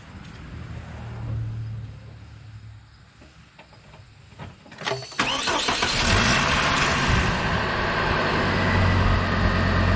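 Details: Hummer H3 after tensioner pulley replacement: after a brief crank the engine catches and settles into an even idle with no chirp or squeal from the belt; normal running.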